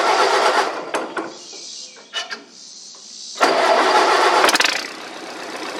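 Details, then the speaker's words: Massey Harris model 30 with a 162 cubic inch Continental flathead, sat for months with the carb run dry, started on choke. It cranks, catches, stumbles and fades, then picks up unevenly. The float bowl is not yet full of fuel. "Well, that's a good sign, but that means it doesn't have full fuel in the carburetor yet."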